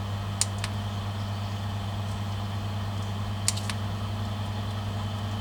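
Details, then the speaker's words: New Superfish Eco Plus RC 15000 pump on a fry/quarantine tank, being stepped through power settings; steady low electric hum with faint clicks, no rattle or grinding, tone jolting abruptly between settings; runs healthy. "It really changes power quite abruptly. You can really hear a jolt when it changes."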